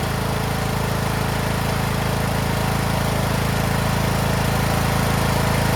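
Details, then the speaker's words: Craftsman T1600 (T600) 46" lawn tractor, Briggs 19hp single-cylinder, after cylinder head and head gasket replacement, mowing lawn: steady even drone, about three beats a second, no misses or knocks; runs like new; normal running under load. "all we did was just replace the head on this T600 this thing runs like new man"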